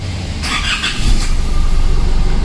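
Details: Isuzu D-Max diesel with a low-power complaint and code P0403, after servicing the EGR valve and clearing the code: a short crank, then it catches cleanly and settles into an even, steady idle with no misses or knocks. It starts normally.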